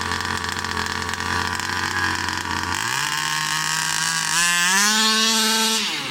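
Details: New Rovan 36cc double-ring two-stroke in a King Motor Baja 5B, warm, head gasket removed: pitch climbs smoothly to a high scream and holds without stumbling; strong, healthy pull under full throttle.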